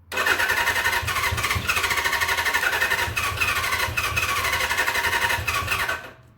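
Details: 1979 Suzuki GS750 sitting since 1984, first start attempt: uneven ragged firing about six seconds, coughs and half catches, then dies without settling; sputtering, failing to start after long storage.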